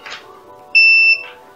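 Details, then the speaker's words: Multimeter in diode/continuity mode checking cheap Chinese earbud cable re-soldered to the jack after a wire break; one clean high beep under half a second: continuity confirmed, good connection, earbuds then work. "pištalicu, i vidjet ćemo ima li kontakta sa jackom, odnosno da čujemo ovaj zvuk."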